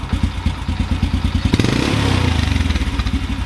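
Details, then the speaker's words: Carbureted motorcycle with the idle mixture screw 1.5 turns out. It idles rough with a loping beat, and after a blip the revs sag back to idle with a delay; the mixture is still lean and weak. "amount of time it takes for the RPMs to return back to idle is a little bit delayed and finally it finds idle right there"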